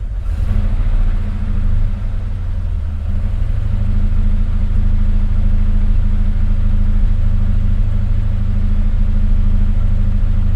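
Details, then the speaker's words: SN95 Ford Mustang V8 after new injectors, fuel rail and TPS: deep, lumpy idle with an uneven loping beat and missing pulses, cylinders 7 and 1 cold; misfire, fuel delivery ruled out, ignition suspected. "No, that was worse. Well, I can tell you number 7 is pretty much cold, and number 1 is cold."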